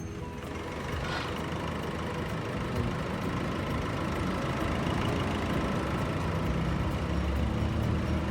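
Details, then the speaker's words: Nissan Navara D40 diesel after complete engine overhaul with new genuine cylinder head, piston rings and bearings: steady, even idle, smooth unchanging rumble, no knocks or ticks; sounds like a brand-new engine. "just look at and just hear the sounds of the engine it's similar a brand new one"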